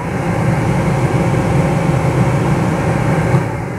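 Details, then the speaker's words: Renault Megane 2 cabin heater blower fan replaced after mouse infestation: a steady, even rush of air with no rattle, scrape or squeal across the speed settings; the blower fan runs normally after repair. "reglează treptele nu mai face zgomot Mașina este complet funcțională partea de aerotermă"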